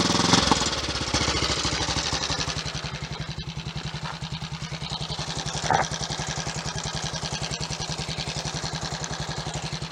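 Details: Triumph Tiger Cub on a test ride after misfiring, following a cleaned blackened plug, emptied float bowl, blown-through jets and a checked fuel line: even, steady single-cylinder thumping with no stumbles; running cleanly.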